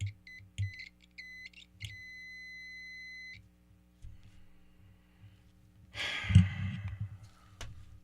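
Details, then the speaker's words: Kramer Baretta-style guitar wiring, multimeter continuity test: beep chirps in broken bursts, holds about 1.5 seconds then drops out, connecting only over a quarter-inch of pot rotation; owner suspects the potentiometer. "So, it's got to be either the pot, which again, you know, because I only turned quarter of an inch and it works. After that, it dies."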